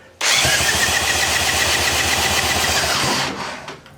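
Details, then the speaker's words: 1972 Evinrude 18 HP Fastwin outboard that sat for years, dry compression test of the top cylinder: even cranking, firm beats with no weak stroke; reads about 122 psi (bottom cylinder 119), compression healthy. "tops 122 leash yeah about 122 so she's got compression"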